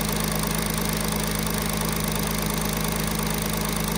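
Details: Audi A6 C8 3.0 TDI (third gen) at idle, before repair: loose uneven rattle about two a second over steady diesel idle, from slack timing chain and worn camshaft sprockets; dealer had called it normal acoustic noise.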